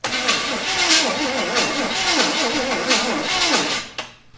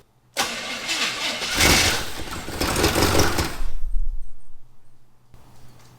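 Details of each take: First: 1974 Chevy Camaro sitting 24 years: starter cranks the engine at an even pace for several seconds but it never catches; no spark, ignition points likely need cleaning, with a jumper wire run to the coil positive. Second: 1974 Chevy Camaro 400, abandoned 24 years, cranks and fires with a deep V8 rumble for about three seconds, then dies. The fuel line is off, so it is fuel-starved; owner thinks the timing is way off.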